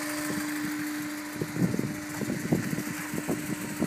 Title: bruit moteur a chaud